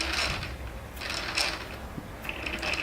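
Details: DJI Inspire 2 propeller on its motor mount, noise appearing by the second flight: light irregular metallic rattling and clicking about once a second over faint motor hum; fixed by inserting a piece of tape into the propeller's inner recess.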